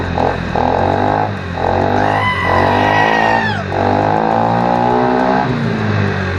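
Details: Scooter after a third party repaired exhaust leaks and fitted a custom exhaust: engine runs steadily with a deep, even exhaust note and no puffing or hissing from the joints; normal running exhaust.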